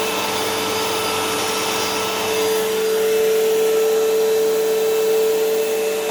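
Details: Dirt Devil Swivel Glide MVP upright vacuum after belt/brushroll change (belt was loose), bag partly full: steady whirring motor with clear high whistle near 450 Hz settling in, no grinding or flapping; normal running.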